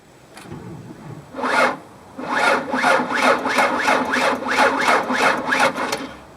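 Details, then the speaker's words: Car with 7-year-old battery that won't start: sluggish, labored cranking at two or three strokes a second, lugging and never catching; slow cranking typical of a bad battery. "So when we went to go start the engine, it did turn over. It turned over very slowly. It didn't sound right. It sounded like it was really lugging."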